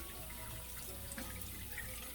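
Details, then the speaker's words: GE Profile dishwasher that filled but didn't wash, after pump and wash motor assembly replacement, starting a cycle; soft steady rush of water pouring into the tub with no hum, buzz or knock. Normal water fill. "i'm going to start a cycle just by pushing the start button there and then like i said put the uh spoon or fork right in there and we are filling with water and if our job was a success"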